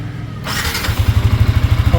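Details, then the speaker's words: Yamaha Sniper 155R in neutral, just after adjusting the timing chain tensioner, which was noisy before. Engine catches and settles into an even, steady low idle thump with no metallic ticking or chain rattle; quiet right away. "So pansin nyo, tahimik na siya agad."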